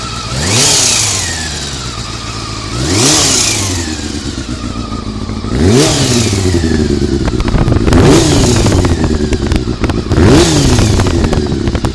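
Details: Honda CBR400RR after riding at Ebisu Circuit: repeated throttle blips, each rev with a metallic clatter on top; abnormal engine noise, suspected from cam gear train, unconfirmed.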